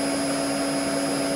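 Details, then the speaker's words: Maple sap vacuum pump set to 49 Hz, about 24.5 inches vacuum, feedback a little over 50 meaning the system is tighter than target: steady even mid-pitched hum with faint high whine, no knocks or surging; normal healthy running. "so that means that it's tighter than what it's trying to run at uh that's good for today"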